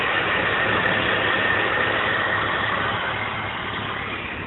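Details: BMW 325i E46: uneven idle with faint irregular popping pulses over the engine hum, rough running, cause not identified.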